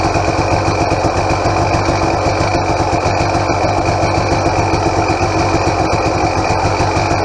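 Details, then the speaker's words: 2007 KTM XCW300 two-stroke on 50:1 premix, cold and on choke: a steady, fast idle with a light, regular ticking over it. Owner notes the power valve is noisier than usual and unrebuilt; a bushing might quiet it. "I've had a bunch of KTMs, and this one has a noisier power valve than I'm used to. Almost sounds Husqvarna-ish."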